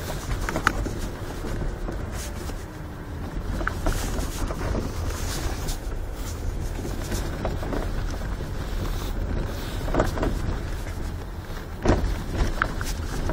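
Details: Ford Focus 3 with almost 133,000 km: occasional sharp knocks from the power steering (hydraulic) rack while turning right on a rough, uncleared road. Heard over road and wind rumble, microphone near the pedal assembly. Worn steering rack knocking.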